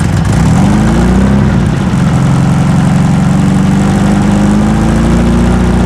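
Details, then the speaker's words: 1970-ish sand rail four-cylinder at idle just after first fire-up, running on all four, with a faint light tick from dead center of the block; not rocker, owner suspects a sticking lifter. "still got a bit of a [Music] tick it's not rocker sounds like a lifter"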